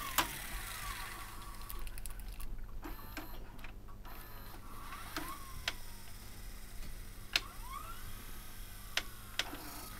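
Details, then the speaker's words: Sony DAV-D150G DVD/VHS combo after cleaning and re-greasing heads, rollers and mechanism: faint motor hum with irregular sharp clicks as the tape loads; owner suspects it isn't seated on the wheel and is rubbing. Tape won't play. "Oh, that sounds rough. It sounds like it isn't lined up on any. Sounds like it isn't lined up on there properly. You can hear it rubbing. It's not on that wheel properly."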